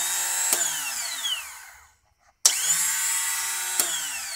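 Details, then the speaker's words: 2001 Triumph Bonneville, battery good and on charger: was cranking, made a loud noise, now a sharp clack then high free whir winding down with no cranking; starter spins without engaging the engine, solenoid clicking, no start. "bike was running just perfectly fine went to start it it was cranking cranking made a loud noise and now it's just making a whirring noise"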